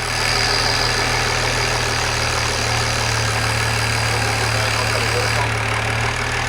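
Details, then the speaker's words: BMW E92 335i with swapped E90 engine (valves lapped, head refitted), restart after low fuel pressure, air in lines suspected: even, steady idle with constant low hum, no knocking or ticking; normal idle. "okay so that ran for a few seconds it seems to be running fine no knocks"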